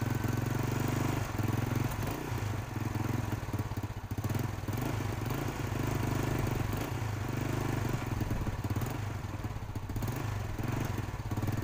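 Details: Motorcycle single-cylinder engine after a dead spark plug was revived at the roadside and refitted. Steady, even idle with a regular beat and no misses or stumbles. It fires cleanly, though the plug's durability is not guaranteed.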